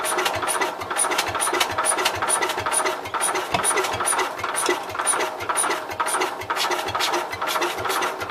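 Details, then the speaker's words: Cub Cadet 122 garden tractor, clutch held down, being revived: starter churns about two beats a second with faint catches that never pick up; cranks but won't start; owner may need carb cleaner. "So I think it will run. I may have to do it with carb cleaner."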